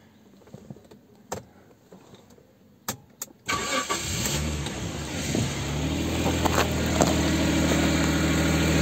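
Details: Jaguar XJ40 after replacing the failed in-tank fuel pump and re-clipping a fuel line that blew off under pressure: a few clicks, starter cranks, engine fires and settles to a smooth steady idle; normal idle.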